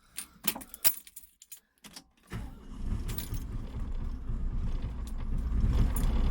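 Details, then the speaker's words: 1988 Atlas 1404 M excavator diesel, just started after fuel system bleeding: lumpy, uneven beat under the clatter as if not all 4 cylinders fire at first; owner suspects fuel hadn't reached every injector, then it evens out. "Sounds like it's not working on all 4 cylinders. Well, now it is. Probably he didn't get fuel to all 4 injector heads at first."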